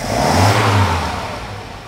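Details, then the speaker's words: Mercedes 190SL under restoration, first run in years with rebuilt carburettors, new fuel pump, starter, ignition cables and plugs, not cold: one crisp rev climbs cleanly and settles smoothly, no misfire; healthy. "I don't know how many years but it has been a while since I heard that engine running and it's it's a thrill"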